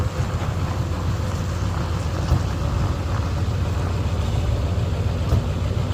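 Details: Ford 7.3 Powerstroke diesel after replacing suspected bad crankshaft position (CPS) sensor for cutting out/no start: deep steady rumble holding an even beat, no stumbles or cut-outs; running normally after fix.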